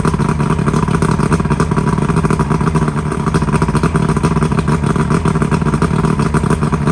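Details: Johnson V4 outboard (1995 or 1996) after new power pack fixed no-spark; busy, even two-stroke buzz, no stumbles or gaps, all four cylinders firing, normal running; smoking a lot, possibly from not being run in a while.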